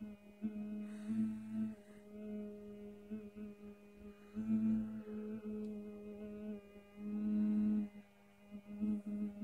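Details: HTC One (M7) phone vibrating while powered off: low steady buzz at one fixed pitch in on-and-off bursts, the vibration motor keeps running with the phone off, cause unknown.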